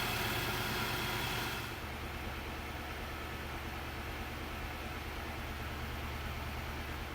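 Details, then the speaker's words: Infiniti QX80 V8 started after throttle body and mass air flow sensor cleaning: a brief higher-revving start, then it drops to a smooth, even idle with no stumble or surge and hardly any vibration. Running well. "It is now safe to also fire it up, start it up. Nice and smooth, hardly any vibration."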